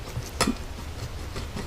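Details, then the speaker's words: Removed 4-inch universal joint, non-greasable, from a 2nd-gen Dodge Ram 2500 Cummins, rocked by hand in a quiet room: one sharp metallic click from play; owner believes it causes the clicking heard in the truck, with a greasable Moog as the replacement. "Pretty sure this is where I'm getting all my noise from. You can hear it. That's what I'm hearing clicking inside my truck."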